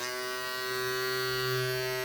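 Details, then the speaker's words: Hair clipper/shaver after replacing a small spring-seated part (cheap fix) that caused a jackhammer-like noise: smooth, steady buzz with even pitch, no knocking or stutter; motor now running normally. "Olha a diferença uma simples peça pode mudar toda a sua máquina"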